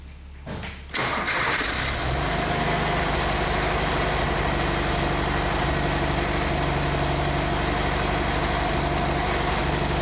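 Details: 47-year-old Porsche 914 flat-four with early fuel injection, after a no-start traced to the cylinder head temperature sensor being reconnected: brief crank, quick catch, then a smooth, even idle with no misses or stumbles.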